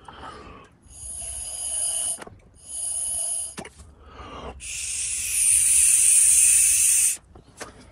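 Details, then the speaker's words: EVAP purge valve removed from a 2017 Ford Explorer Police Interceptor Utility with a check-engine light for a small EVAP leak (P0456): breathy hissing bursts as air is blown through a valve that should be normally closed; valve leaking, defective, being replaced. "if you hear any noises then some air is passing through try it now oh I don't know if you could hear it areas passing through so this valve is defective"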